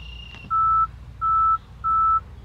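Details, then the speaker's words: 2022 Tesla Model X with the passenger Falcon wing door needing recalibration: pressing the exterior open button gives three steady mid-pitched beeps, each about a third of a second, and the door won't open. "you'll also hear the alert that comes up when you're trying to open it up when the door needs to be recalibrated."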